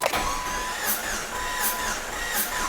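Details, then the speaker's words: 2000 Jeep Cherokee XJ 4.0L (low mileage) cranking with spark plugs out during a compression test on cylinder 1: even starter whir with regular swells, reading about 135 psi (spec 120–150), healthy. "we'll turn the engine over nothing's going to happen cuz there's no spark plugs xjs 120 to 150 psi right smack in the middle of 120 and 150 so we'll call it 135"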